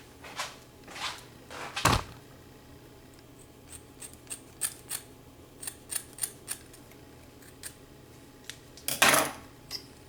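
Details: 2012 Ford F150 (2009–2014 models): light, irregular plastic clicks and rattles in short bursts from a loose plastic piece inside the door panel over bumps; fixed by adding tape or felt.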